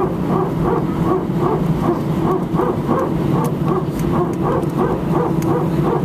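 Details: Air France Airbus A319, flight AF2487 Sofia to Paris, recorded from cabin seat 18F while taxiing: rapid bark-like bursts about three times a second over cabin hum; very strange repetitive barking noise, source unidentified.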